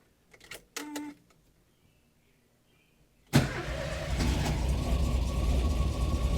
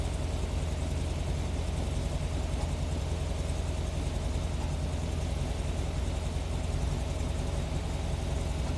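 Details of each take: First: 1971 VW Squareback (Type 3) hot start with no gas pedal: short horn toot, pause, then fires instantly and settles into a steady, even idle with no stumbling; a clean hot start. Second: 1971 VW Squareback chromoly flat-four, cold start: lumpy, uneven idle with occasional pops heard through the carburetor; owner unsure, suspects valve lash might need a little gap.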